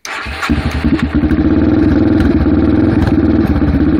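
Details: Yamaha TTR 230: engine catches and settles into a lumpy, uneven single-cylinder idle with irregular pulses and a sucking sound; rough idle.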